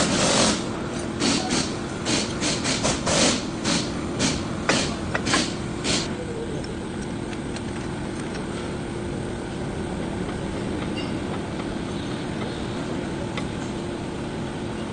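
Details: Car brakes: sharp scraping clicks repeat roughly once a second for several seconds, then fade to a steady hum. Brake noise.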